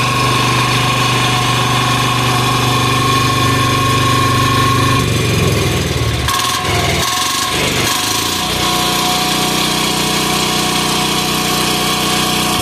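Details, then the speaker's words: Amazon 186FA single-cylinder diesel with an electric start kit, running at half throttle: a steady diesel clatter at constant speed with a brief disturbance midway. It runs evenly and normally, rolling coal. "So it runs, it works, rolls coal, and stay tuned for the next video series."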